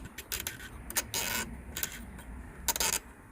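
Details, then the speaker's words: 2003 Chevrolet Envoy 4.2L instrument cluster, removed for rebuild after the oil pressure gauge always read 0 psi: gritty scraping bursts and uneven clicks as the needle is swept by hand. This stepper motor is rough and binding while the others move freely; it will be desoldered and replaced. "okay guys so if you look these move freely this one is really rough to hear it"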